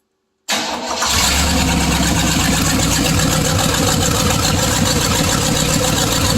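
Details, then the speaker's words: First run of a '62 Chevy 327 V8 in an '86 GMC Sierra Classic: catches within a second, steady even beat with no knocks, misses or ticks; good oil pressure, only a fuel leak, carburetor not yet correct or tuned; sounds great. "It sounds great. Sounds like demolition derby time to me."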